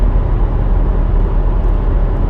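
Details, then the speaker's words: 2011 Honda CR-V, 300,000 km, test drive after replacing a staked rear driveshaft U-joint that caused a drivetrain noise worse when turning: steady low road rumble, no clunk, knock or vibration; no more play, driveline smooth, fixed. "No more play. Hope it doesn't vibrate. Well, it feels nice and smooth. Yeah, it feels good."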